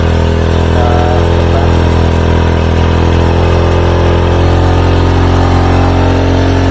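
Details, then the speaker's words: Old Honda Supra motorcycle, carbureted, running rich with black plug and hard morning starts; pilot jet cleaned, idle raised to about 3,000 rpm while the idle mixture screw is turned to find the highest speed. Steady, even fast single-cylinder idle with no misses. "kita naikkan sampai 3.000 dulu ter kita sudaru kita cari putaran tertinggi kita tucup dulu Bi putarannya harus turun normal turun jangan sampai mati"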